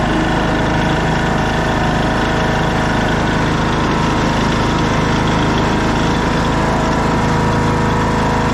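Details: 2014 Craftsman T1600 lawn tractor, single-cylinder engine, idling after bypassing the broken blade safety switch that had stopped it while mowing. Even, steady beat with no misses or knocks. A healthy idle.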